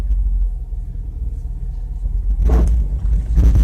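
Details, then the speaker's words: Honda CR-Z pulling slowly out of a driveway: low engine rumble, then two harsh scraping rasps as the low underbody drags on the driveway lip, which happens every time. "Yep, it scrapes every time I come out of that driveway."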